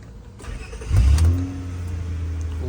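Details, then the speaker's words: 1999 Honda Accord 3.0 with intermittent no-start, after starter replacement: brief strong crank, engine catches within a second and settles to a steady even idle; healthy start. "now I'm just going to start the car the car oo starts up right away really strong too a lot better"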